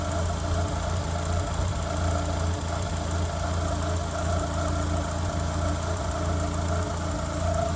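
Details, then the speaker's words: 1993 Mazda Miata with over 200,000 miles, sat about a year as a no-crank, now running after electrical work (a relay is suspected weak): an even, steady idle with a smooth low hum and no misses or surging. "Sounds a lot better, doesn't it? I think I need to start it off. Wow, that sounds really good now, doesn't"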